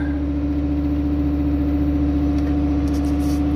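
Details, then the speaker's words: Fiat Stilo Abarth not run for a few years: fast, steady, very high idle with a constant hum, later dropping; hydraulic lifter noise noted; MAF sensor in the air filter suspected, not confirmed. "Well, it's very high up in idle, but it didn't run for a few years, so yeah, that's really high, to be honest."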